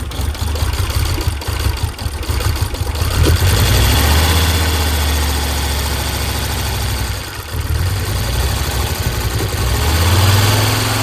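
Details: Audi 100 S4 five-cylinder, no radiator or coolant fitted. Uneven, lumpy idle stumbling three or four times a second, one cylinder dead. Owner suspects pumped-up hydraulic lifters holding valves open.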